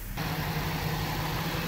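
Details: 2013 Jaguar XJ petrol engine at idle under the hood after fixing a vacuum leak near the right valve cover that set lean codes P2187/P2189: steady low hum, the earlier hiss is gone.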